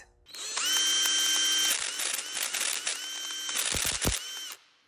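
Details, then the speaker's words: Bauer 3/8-inch drive cordless impact wrench, under six months old, used in auto dismantling: high piercing squeal with gritty grind as the motor spins up, then rattly bursts before stopping; dry worn motor bearing. "sounds pretty bad doesn't it"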